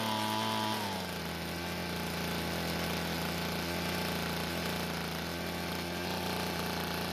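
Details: Two-stroke blower after fixing its leaking gas tank by replacing the fuel and return lines to the carburetor: drops from high speed into a steady, even drone with constant pitch, no surging or misfire, running normally.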